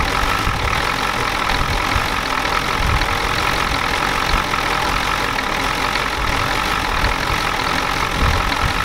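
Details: 1993 Ford F-250 7.3L IDI diesel after sitting since Monday: a harsh, rattly clatter through the idle with a thin tone above it. The injection pump was checked and confirmed out of time, and the engine smokes heavily.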